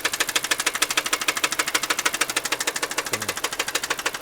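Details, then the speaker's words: Rideshare car at 235,252 miles: sharp, very regular metallic knock about three per second over a quiet idle, with an oil leak. Knock sensor replacement didn't help; internal bottom-end engine knock. "little bit of oil leak right there a lot of a lot of knocking like I said I've been working on this car for like the past three days"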